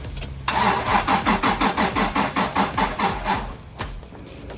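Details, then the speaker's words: Toyota Prado that won't run, gas system solenoids powered from a jump pack and clicking open: steady starter cranking about three beats a second, engine never catches; unsure the gas system works or has gas; crank, no start. "I'm not sure if we got the gas system working properly I would have assumed that's all it needs is for the to open but we also not sure if there's actually gas in there either"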